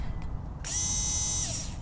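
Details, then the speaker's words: Porsche 944 (about 40 years old) that won't start: the removed fuel pump, tested in isolation, gives a clean, steady high whine under a second, then spins down smoothly. It works, so the suspected cause is no power reaching it in the car. "That actually sounds great. So why wasn't it working? Because we checked and it wasn't making any noises when you were turning the car on."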